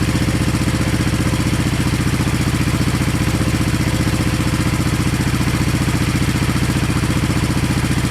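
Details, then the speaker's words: 1970 Honda SL350 twin, first start during restoration with gas put down plug holes and right carb leaking; even putt-putt about 220 beats a minute, both cylinders firing with equal pipe warmth; normal idle. "well by touching the cylinders in the pipes it seems like both cylinders were firing just fine they're equal warmth"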